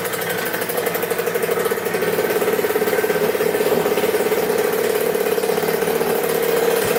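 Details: 2000 Cobra 50cc two-stroke mini dirt bike after carb cleaning, top-end repair and new throttle cable, outdoors before a test ride: crisp, high buzzy note idling steady with even firing, no misses or stumbles; healthy.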